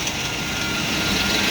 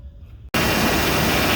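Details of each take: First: 2000 GMC Yukon Denali V8 idling with a fast, dry chatter over the engine from a worn, vibrating belt tensioner pulley; fixed by replacing the whole tensioner. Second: 2000 GMC Yukon Denali after belt tensioner replacement: the engine starts and runs steadily, and the earlier rattle and chatter from the vibrating tensioner pulley is gone.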